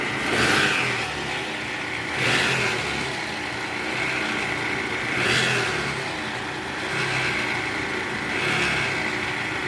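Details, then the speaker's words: 2013 Toyota Alphard with 2AZ-FE engine: harsh, rough rumble from the oil pan area that surges every few seconds; balancer shaft found disintegrated and replaced. "untuk kerjaan kali ini kita lagi mau perbaikan ya trouble suara mesin kasar"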